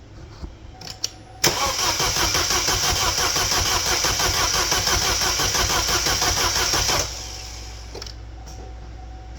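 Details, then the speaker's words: 2012 Chevrolet Cruze 1.4L turbo just reassembled after a head gasket job, no coolant yet: starter spins the engine evenly about three beats per second for five seconds but it never catches because the fuel injectors were left unplugged; crank, no start. "You know what would help? If I plugged in the fuel injectors, let's try that again."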